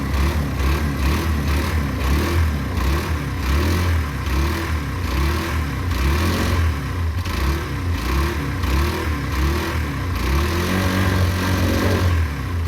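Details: Derbi 125, a former non-runner, after a carb service and fuel tank clean: a steady idle putter that rises and falls cleanly with each twist of throttle, with no hesitation or popping; it runs lovely.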